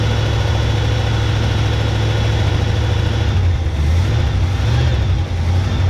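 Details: 1971 Chevy K10 4x4 pickup, small-block 350 V8, restarted after sitting about 10 years, choke on: low, lumpy idle with wavering rpm, running on its own; carburetor gasket leaking; owner suspects the old gas causes the low rough idle.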